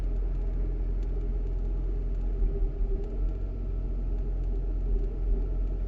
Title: w140 issue, rough idle after 1 hour driving.